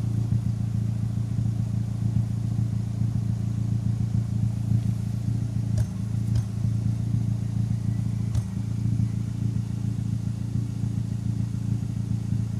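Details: Turbocharged engine fitted with larger SR20 injectors, at warm idle: steady low rumble broken by a few sharp, isolated exhaust pops mid-clip; random misfire, owner suspects the injectors.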